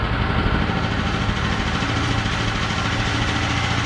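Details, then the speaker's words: ETQ TG72K12 portable generator, about 14-15 years old, 13 hours, unrun 10+ years, fresh gas: steady, even drone on auto throttle, no misses, knocks or surging; idles smoothly; normal idle. "look at that a that's pretty good Auto throttle running"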